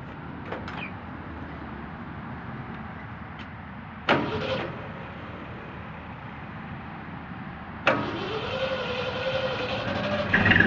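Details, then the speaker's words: 1972 Ford F100 Explorer short bed V8 with 2-barrel carburetor, fresh oil change and new fuel pump fittings after a leak; camera on a tailgate near the exhaust, hood up. After door noise the engine catches quickly and settles into a steady, even idle with no knocks. Normal start and idle. "But yeah, so runs pretty good. It's got a 2-barrel carburetor, which is what it had."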